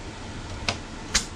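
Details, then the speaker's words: 1993 Honda Civic with a no-start, in for a timing belt: two short sharp hissing puffs about half a second apart as pressure escapes near the radiator, which appears to be leaking; the radiator fan is not working. Exact cause unconfirmed. "first of all right here if you notice it look like the radiator right here it's leaking every time listen to this"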